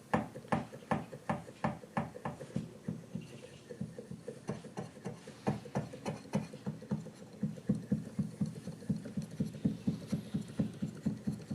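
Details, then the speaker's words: Used Kawai VPC1 keyboard controller bought in "excellent condition": a key played repeatedly gives sharp light taps about four a second; the E key taps and neighbouring keys feel crunchy or sticky, clacking more than normal. "It's crunchy. This one's kind of crunchy. What it says C, crunchy, and then it's fine here. E's, you can hear E tapping."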